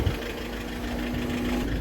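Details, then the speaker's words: Volkswagen Vento diesel idling with a loud, hard, tractor-like injector knock, worse with the AC on. "Engine the sound ਤੁਸੀਂ ਸੁਣ ਸਕਦੇ ਹੋ ਵੀ ਬਹੁਤ ਜਿਆਦਾ sound ਹ"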